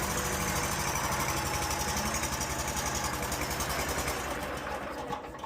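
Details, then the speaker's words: Stihl lawn mower running rough, thought by others to be a dirty carburetor: uneven, stumbling idle with irregular firing that smooths when given gas; blown, loose intake manifold gaskets causing a vacuum leak. "I don't think it's anything wrong with the carburetor. I think the intake manifold gaskets are bad."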